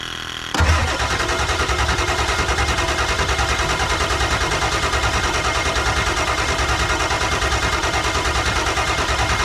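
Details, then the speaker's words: Ford F250 7.3 Powerstroke diesel after injector replacement, new batteries plus jump box: starter churns sluggishly at about three beats a second, never catches; suspected insufficient cold battery power and cranking speed for injection pressure, unconfirmed. "what we have going on here is not quite enough cold battery power even though they're new batteries to start this thing I think I think we're just not turning it over fast enough"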